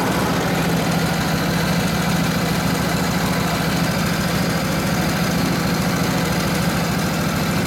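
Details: Rebuilt Harley 45ci WL flathead V-twin bobber with 1939-40 3-speed, points timing freshly set, held near full throttle against the drum brake; a strong, even beat of about 3.5 per second holds under load without misses or knocks, running healthy.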